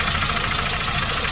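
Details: 2017 Hyundai Accent at idle, lacking power with noises from the exhaust: uneven idle with a rhythmic stumble, one dropped pulse recurring; code P0302, cylinder two misfire, spark plugs or coil not yet determined.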